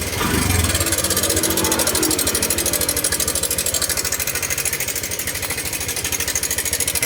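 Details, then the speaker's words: Honda Click 125i LED (2017–18) scooter with a fast sharp metallic clatter over the exhaust that grows louder when revved, traced with the cover off to the cam chain tensioner. "ครับก็จะดังมาจากไอ้ตัวตัวนี้นะครับผมตัวปรับความตึงโซ่"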